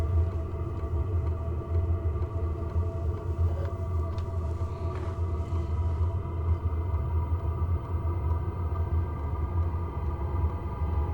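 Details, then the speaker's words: 12-volt WIPPRO diesel heater on diesel, about a month old, starting up in December with muffler not fitted. Steady low rumble with a fan note that slowly climbs as it spins up, just beginning to blow warm air; normal start-up. "That's on, and I never do get it above 2 in the rooftop tent anyway. You can hear it going a little bit faster and faster."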